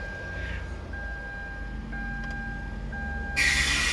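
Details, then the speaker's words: 2007–2009 Hyundai Santa Fe in park or neutral: dash chime over idle, then harsh, hissy starter screech as a faulty ignition switch sticks in crank and the starter hits the flywheel; fixed by replacing the ignition assembly. "sounds like that especially when it's in park or in neutral and it's making that sound you have issue with that assembly there"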